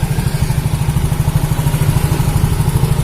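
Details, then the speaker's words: Yamaha Mio J scooter engine, not yet disassembled, with a coarse, rattly clatter about three times a second that grows stronger. At first it sounds like a loose valve; the mechanic suspects the block or worn piston rings. "sekilas ada seperti bunyi klep yang kendor atau pernah sekali kendor tapi suaranya makin tingkat semakin kuat ya ini curiga saya ke blog ataupun ke piston Ring yang sudah Lombok"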